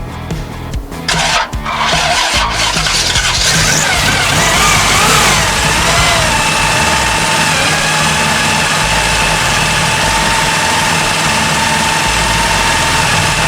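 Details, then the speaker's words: 1974 Chevy Nova after years sitting: choppy cranking, then an uneven, sputtering idle that never settles while the carb is hand-primed. Super old gas in the float bowls is suspected; the plan is to burn it out or clean the carb. "The gas in those float bowls is super old, but we got it running, so we're gonna try to burn it out."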